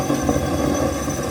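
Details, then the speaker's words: Waste oil heater burner: rough, uneven roar with irregular fluttering, flame about to go out because tank air pressure is too low, before pressure is turned up; burner sputtering. "about to go out because I don't have enough pressure on the tank. I'm going to turn the pressure up and listen to it to the sound change."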